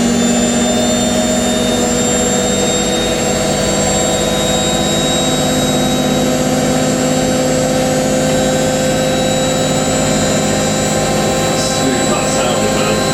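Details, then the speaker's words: Hotpoint 9530 Electronic 1000 Plus washing machine spinning a twin bedding load at about 1000 rpm, after repair of a burnt/shorted neutral wire by replacing the mains lead. Steady, even high-speed spin with constant motor hum, no thumping or rubbing; normal smooth spin. "so wonderful super super smooth foreign"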